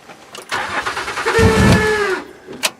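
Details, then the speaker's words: Honda Accord demolition derby car, started on a booster pack, in park: short crank, catches with a ragged surge and sags, trying to stall; doesn't sound healthy, broken motor mount noted, gas pedal problem. "oh sounds like we started off don't sound exactly healthy there"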